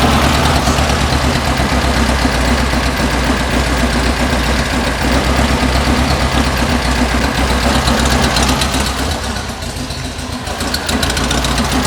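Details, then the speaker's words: 1974 VW Beetle Love Bug with dual 34 carbs during an engine tune: the idle mixture adjuster screw, turned in half a turn, gives an uneven, loping, stumbling idle from a lean mixture, so it gets backed out half a turn. "all that was the adjuster screw I just turned in in a half it didn't like that so I'll back this one out of half"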